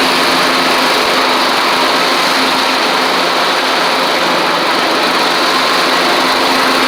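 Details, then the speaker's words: Troy-Bilt Horse XP on a replacement engine, cutting passes after an overnight sit; it didn't want to start that morning. Steady, even buzzing engine note holding speed under cutting load, no misses or knocks. Healthy normal running under load. "It didn't want to start this morning, so I want to make sure that it runs and starts like it's supposed to after I've run it for a little bit. So I'm going to do a couple passes."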